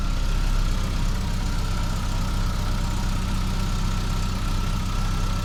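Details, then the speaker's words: Geo Tracker after replacing cracked exhaust manifold with header, chilly morning: smooth steady low idle, no ticking or puffing at manifold; no exhaust leak heard, though some welds may be incomplete. "Oh yeah, like a champ. Well, I don't hear any exhaust leaks, so that's good."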